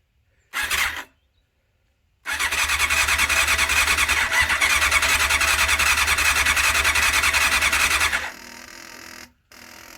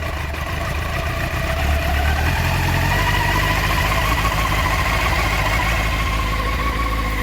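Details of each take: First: 1989 Honda CBR600 restoration with freshly cleaned carbs: steady starter whirr for about six seconds with no catch, crank-no-start because the fuel was not switched on. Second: 1989 Honda CBR600 (jelly mould) restoration, first start after carb clean and old fuel drained: in neutral, choke on, fast idle around 1,500 rpm, smooth and even with no stumbling; owner points out the tick-over adjuster.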